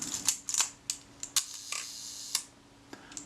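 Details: Retina IIIc camera with its previously sticky shutter just serviced, testing the 1 second slow speed: a crisp click, the slow escapement buzz, then a closing click about a second later. Shutter times correctly.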